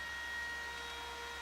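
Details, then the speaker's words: Apple Macintosh II/IIx on power-up: loud steady rushing whirr with thin whining tones drowning out the hard drive; noisy cooling fan needing replacement. "oh this fan is awful sorry about the noise not sure you're gonna be able to hear the hard drive over this"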